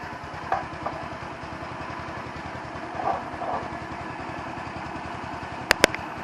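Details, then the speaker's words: 150cc Chinese scooter, idle screw adjusted many times, mixture screw under welch plug, camera moved closer to the bike; small single idle with loose, slightly lumpy pulse and a few clicks; uneven idle, owner suspects mixture, not confirmed. "now i know i've got an idle screw adjustment which i've tried to get correct many times it does not have an air mixture screw adjustment"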